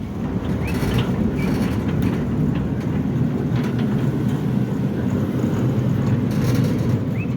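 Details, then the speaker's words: Centurion D5 Evo sliding gate motor test after repairs: new controller card fitted for gate opening by itself, wheel bearings replaced, track straightened; smooth steady hum, no grinding or straining, working properly. "We've checked everything. And it's working 100%."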